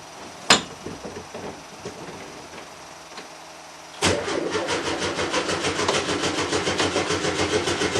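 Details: Volkswagen T2 air-cooled van, cold start after about five weeks standing: a few weak cranks while fuel pump primes, then catches and settles to an even rapid idle; normal cold start.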